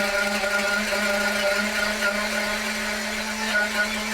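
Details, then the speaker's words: RC nitro engine, Terra EVO, on a dyno warming up: steady, clean high buzzing drone creeping up in rpm as the engine heat-saturates and clears its richness; healthy warm-up. "Hopefully around 190 here, the engine will start picking up an RPM. Everything starts to loosen up a little bit more, heat saturate, fuel starts to burn easier."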